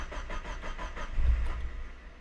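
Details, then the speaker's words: Car with idle settings deliberately detuned; starter churns, engine catches with one surge then immediately dies, stays running only with throttle: stall after start from insufficient idle air. "So I've messed up my car to where it should not start, right? Try to fire it up here. And it just immediately dies out."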